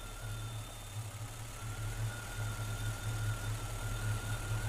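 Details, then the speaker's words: Engine after a throttle body system install: a quiet idle of about 450–460 rpm slowly climbs as the throttle stop/plates are opened, passing 610 toward a target of about 650–700 rpm. "Now I usually do this very slow. You can hear the engine starting to go up."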